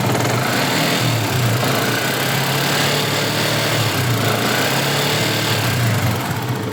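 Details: Yamaha Jupiter MX 150 after engine rebuild (failed water pump seal let coolant into engine; crank bearings, piston, con rod, camshaft, rocker shaft replaced): steady, even single-cylinder idle, smooth low thrum, no knocking or rattling; runs normal again.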